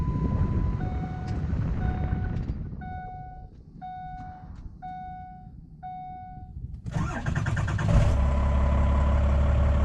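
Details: 2004 F350 with a 1997 12-valve Cummins swap and a new 6.4 starter, started from the cab: key-on chimes, then a short brisk crank before the diesel catches and runs steadily; the starter is healthy.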